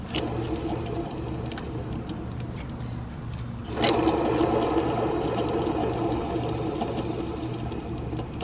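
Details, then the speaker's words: Car engine running, mic moved close to the alternator at the front: rough, gritty, fairly loud whirring from inside the alternator, worn alternator bearings. "it's kind of grindy a little bit loud it's on the inside of the alternator and it's not good"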